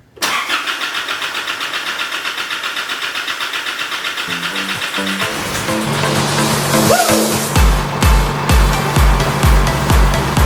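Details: RC Colorado 4JJ1 common-rail diesel on its first start after an intake manifold clean and reassembly: even cranking at about two beats a second, then it catches and settles into a steady, regular idle.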